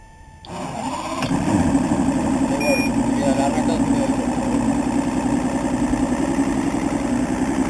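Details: Evinrude 200 two-stroke outboard that only starts after fuel is poured into the chamber, with no ground from EMM pin 22 despite spark, fuel and good fuses; it catches after a brief crank and settles into a steady, buzzy idle, starting fault unresolved.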